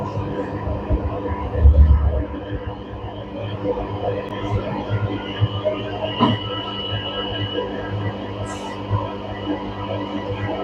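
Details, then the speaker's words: Panasonic 7 kg front-load washer after its H27 door lock fault is fixed: the drain motor starts, then a steady low hum with a gentle, even throb as the drum spins anticlockwise on spin; normal, with no knocking or grinding. "yes you can see the mod already got start drum is rotating and anticlock because I already uh select direct spin"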